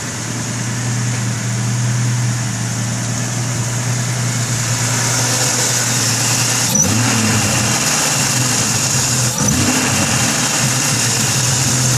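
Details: Jeep 4.0 six, new plugs, upgraded 99-up injectors, 93 octane, stock ignition, previously popping and backfiring: even idle with two short throttle blips picking up cleanly, no missing or stumble; running right.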